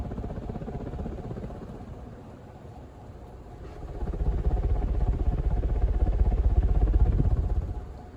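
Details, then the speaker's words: Moss 52" 1200-watt heater ceiling fan, new in box, running on high speed with the heater on and no light kit, drawing about 11.2 amps: low steady whoosh with an even airflow pulse swelling and fading, no ticking or rubbing; normal high-speed running. "yeah this thing absolutely flies super powerful on high speeed with the heater on and no light kit"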